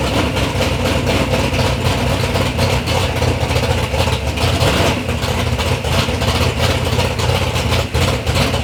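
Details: Third-gen Camaro with big-block Chevy V8, first start-up after years of building: loud, steady, lumpy idle with an even beat, no knocks or ticks; normal, healthy idle.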